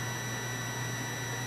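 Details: Continuity tester on a relay switching an inverter via a Victron Smart Battery Protect (220 A), with a 12 V bulb loading a weak battery. A steady, unbroken high beep with no dropout shows the relay contacts are still closed, before the 90-second shutoff.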